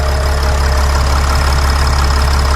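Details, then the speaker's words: Mercedes Sprinter van 3.0L diesel, after engine oil cooler replacement, heard under the hood: steady even idle with smooth low hum, no knocks, misses or hiss; no leaks around the engine, engine healthy and fixed. "so the engine is running the engine sounds good good job guys we did great work this is fixed I like how the engine sounds there are no leaks around the engine this is good"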